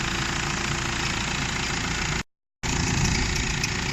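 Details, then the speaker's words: Nissan Navara D40 diesel at idle, with the battery and brake warning lights on and the headlights dimming while driving, plus a bearing noise for several days: constant hiss and faint whirring, from a suspected failing alternator bearing. "j'ai pas pris le risque de rentrer de nuit donc là j'avais un bruit depuis quelques jours de roulement"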